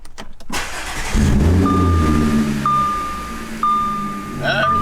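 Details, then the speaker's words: Supercharged Audi S4 with 90,000+ miles, started after an oil change with fresh Liquid Moly filled to the max line: quick crank catches cleanly, revs flare then settle into a smooth idle with a faint steady whine; runs fine. "We're just gonna get a start. You know, it's good for extra precaution to make sure that everything's okay"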